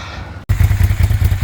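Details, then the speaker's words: Long-abandoned first-gen Suzuki SV650S V-twin starting: lumpy, uneven low thumping with missed beats as one cylinder doesn't fire; its carburetor float needle is stuck, flooding the cylinder and leaking fuel from the crankcase and header clamp. "The the needle's stuck in this one, so it's just filling that cylinder full of fuel and running out of the uh header clamp."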